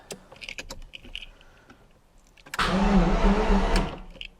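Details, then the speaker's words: Abandoned Jaguar XJR-S V12, old fuel in tank, no fuel reaching engine: starter whirs engine steadily about a second without catching, seems to have some compression; cranks but does not start. "Oh wow, it does crank. And that did not sound too bad. That sounded like it did have a little bit of compression right there."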